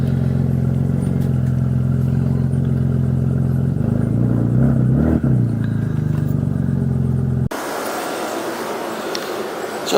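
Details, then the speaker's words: 2000 Audi S4 B5 with broken belt and open downpipe: deep, steady booming unmuffled exhaust drone at low revs. "AC does work but turning on the AC is not going to be a good idea because obviously the belt is broken so it's kind of loud cuz of open down"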